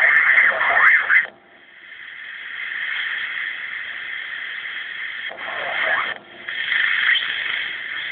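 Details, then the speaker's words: Ranger 2950 radio on lower sideband: speaker gives a thin, raspy hiss with garbled voice-like bursts over a steady high-pitched tone; incoming audio muffled and raspy, though CW tunes in fine. Fault unknown. "when i change it to lower side it gives me a high-pitched tone and it sounds real muffled and raspy the audio the incoming audio sounds muffled and raspy apparently on the output too"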